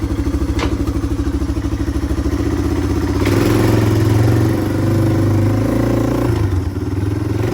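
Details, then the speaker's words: 1997 Yamaha Timberwolf 250 ATV, first ride, GoPro on board: under load engine spits and pops two to three times a second instead of pulling smoothly. Sputtering and popping; owner thinks it runs a little rich, may swap a jet. "Well, guys, after riding it, I don't know if you could tell, um, but it's spitting and sputtering a lot. It didn't sound great. Um, I think it's running a little rich."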